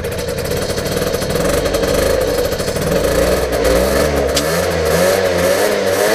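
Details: Peugeot Speedfight 50 two-stroke moped after carburettor change and exhaust refit: buzzes and blips up and down with throttle, no misfires; starts and revs normally.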